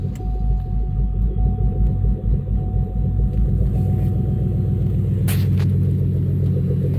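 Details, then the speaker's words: Cadillac STS after fuel filter replacement: low, uneven churning crank lasting several seconds without catching while the fuel system primes and pressure rebuilds; no leaks seen. Extended cranking while priming fuel system. "so take a little time crank to build up all that feel fresh air"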